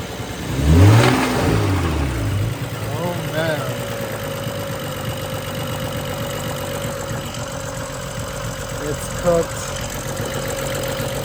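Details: BMW 135i N55 after street driving, loud ticking louder than usual, heard on restart after reassembly: quick rev then rough idle with faint uneven metallic knock under the exhaust; rod knock.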